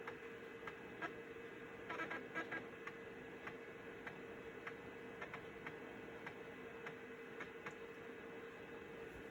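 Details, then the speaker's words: Belt-replaced Citizen W1D 3.5-inch floppy drive in a Compaq Armada 7770DMT reading a diskette: soft steady motor hum with light, quick head-step ticks as it seeks; normal floppy drive operation. "Looks like a winner to me. So that pretty much concludes this video. We read a disc and we wrote a disc on a Citizen W1D drive in the year 2020."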